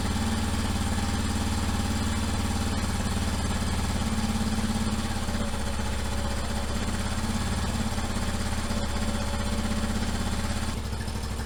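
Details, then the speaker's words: 1989 Yamaha Moto 4 YFM350ERW quad, first start after head repair and carburetor work (float likely sticking), on choke: fast, regular single-cylinder thump holding steady, no hunting or misfires; normal idle. "I got the choke off. I'm just gonna let it idle for a little bit."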